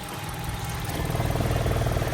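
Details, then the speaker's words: 2002 Infiniti G20, SR20 engine, 5-speed manual, new crankshaft position sensor, rough idle and limp mode capped near 2500 rpm: heavy low rumble and shudder at idle, vibrating a lot; blown, worn engine mounts. "Sounds like this mount is loose. Oh yeah, we're blown out. Look. Definitely got some worn out motor mounts."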